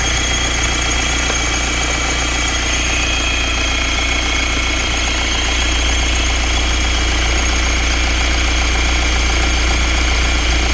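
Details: BMW 520d N47 diesel at idle: loud clatter with a steady, fairly regular knocking rattle; owner asks whether it is the water pump, crankshaft pulley or something else; source unclear.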